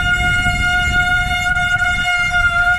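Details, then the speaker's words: Bicycle disc brake held under light pressure: a loud, steady high-pitched squeal, part of a de-squeal technique after cleaning the rotor. "So, I'm going to apply light pressure to the brakes. And you can see it's squealing,"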